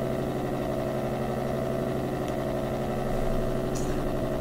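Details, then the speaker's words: AM radio tuned to 1215 picks up a constant buzzing drone of stacked steady tones, with no speech or music. It is interference whose frequency shifts as USB hub and camera power supplies are plugged in. The source is suspected, not confirmed. "this is changing the frequency of that noise so with one in it comes in at 12:15 with two in it's gone somewhere else"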